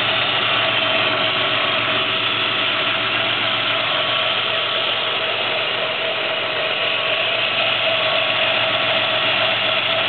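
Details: 1994 Cavalier Z24 3.1 engine running with a steady, drill-like whine over the engine noise, loudest while driving; not the power steering pump, which was replaced without effect. Worn drive belt, and the whine was gone after belt replacement.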